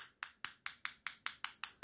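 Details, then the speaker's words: About ten light metal taps on a cylindrical lithium-ion cell give a thin, hollow ring. A genuine cell is heavy and gives a fuller, duller sound, so this lightweight cell is counterfeit. Hollow tap sound of a fake cell. "cisimle vurduğunuz zaman boş bir ses geliyor orijinal pile aynı darbeyi vurduğumda daha tok Daha dolu bir ses geliyor"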